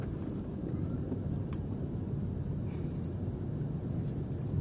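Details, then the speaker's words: Suzuki Ertiga after replacing front shock absorber, stabilizer link and stabilizer bushings, driving over a speed bump: only steady low cabin rumble, the former clunking gone. "Ya udah kita lewatin polisi tidur ini pakai masih bunyi uh senyap tidak ada bunyi"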